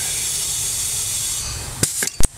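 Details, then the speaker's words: 2003 Porsche 996 Turbo boost leak test with the intake pressurized: a constant high, airy hiss. Soapy water traced the leak to the gasket between the throttle body and the IPD plenum top layer, and that gasket is to be replaced. "we did find that the leak was coming from the gasket between the throttle body and the IPD top layer so we are going to replace that gasket"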